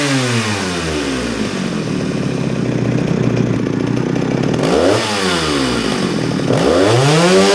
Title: Jonsereds 49SP Vintage Chainsaw - Starts Easy & Runs Strong! Full Start, Run & Oil Demo